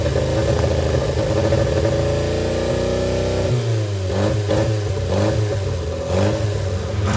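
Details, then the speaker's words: Austin-Healey Sprite barn find, freed engine with head refitted, fuel bowls filled on both carbs, first start on a jump pack: small four-cylinder catches and runs unevenly, revs surging and sagging while throttle and choke are worked, struggling to idle. "all right let's put a jump pack on it wants to run try to work the throttle and the choke at the same time"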